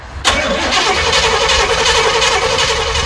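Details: 1994 Chevy 3500 HD big-block tow truck, sat for years in an auction yard, fresh battery fitted: engine turns over steadily but never catches or picks up speed; crank no start, fuel delivery suspected, starting fluid to be tried next.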